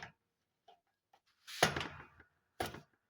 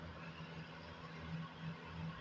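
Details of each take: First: Comfort Zone space heater whose switch works intermittently: irregular scratchy clicks, about one every half second to second, as the internal thermostat/limit switch struggles to make contact. Owner concludes the thermostat switch needs replacing. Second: Comfort Zone space heater at 1500 W after repair of its intermittent switch. A quiet, steady low fan hum with no rattles or scraping while it heats well. The switch works properly and the heater runs normally.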